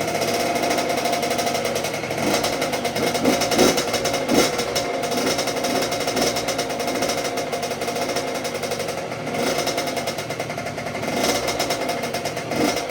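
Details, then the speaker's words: 2006 Honda CR85 two-stroke after Wiseco rebuild (new crank, piston, seals, bearings, gaskets), first start on choke warming up during break-in heat cycle: crisp, steady crackle, nice and quiet, no rattling or knocks; normal idle. "The engine sounds nice and quiet. No rattling, wrapping noises. It's idling nice."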